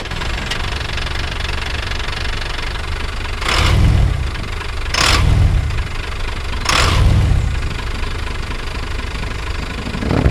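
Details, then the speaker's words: 1987 Ford F700 with the Ford New Holland 7.8 L turbo diesel at 112,000 miles, microphone placed up at the engine: deep even idle clatter with three short throttle blips that climb and settle cleanly; normal running. "but I'll let you hear what it sounds like real quick just cuz I think the engine sounds beautiful"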